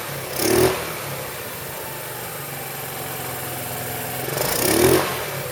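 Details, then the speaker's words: 2008 Roketa Sicily 150 scooter, rough runner, after an incorrect spark plug was found and replaced: two crisp throttle blips around a steady, even idle, picking up cleanly without stumbling; running really well, though the owner notes it runs slightly lean. "actually running really well now so the next thing I'm going to do um I noticed it is running just a little bit lean"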